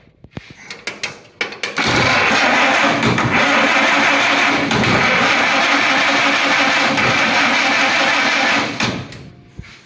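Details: Cranking a vehicle on an EverStart 1000 A peak jump pack: a few short clicks, then a strong, even starter churn for about seven seconds that never drags. Cranking is normal.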